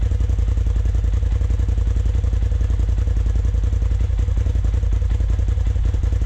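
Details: 2020 Polaris RZR Turbo S Velocity turbo engine after a Trinity Stage 5 slip-on exhaust install, idling with a deep, steady low thump at about three beats per second, even and clean with no knocks; normal idle.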